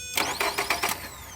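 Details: 2011 Nissan Altima no-crank complaint, starter fed directly with power probe at relay terminal 87: five quick starter bursts, whine winding down with no catch; starter spins engine fine, so not a bad starter, missing start signal; normal cranking.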